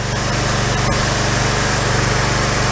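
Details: Pressure washer small engine after its carburettor was replaced: fast, evenly spaced firing at constant speed with no stumbling or surging. Runs clean and steady.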